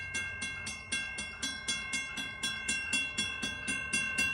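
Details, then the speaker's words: Model 3590 railroad crossing gate mechanism: rapid regular pumping clicks about four a second under steady bell tones; loose bottom screw lets the plate shift so the pawl doesn't hold the ratchet wheel teeth and the gate slides. "And if this is spaced out too far, it'll cause it to slide. And that is what causes that loud pumping malfunction."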